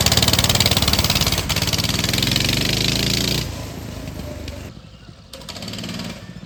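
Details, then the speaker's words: Motovox mini bike after centrifugal clutch repair (clutch previously worn, rattling and vibrating; crankshaft end was hitting it), exhaust guard removed, chain lubed, choke on: small single runs at a quick steady beat, no clutch noise, then dies and fades. "Um, now the clutch doesn't wiggle all over the place and it shouldn't make that noise anymore."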